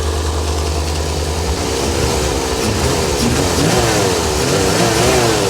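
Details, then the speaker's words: 1985 Chevrolet Corvette C4 V8, long-sitting swamp car, first start after engine work with carb cleaner and WD-40 poured in: steady, smooth V8 rumble with an even firing beat and gentle revs, now running cleanly on all eight cylinders with no miss. "look at this first time ever look how smooth that is"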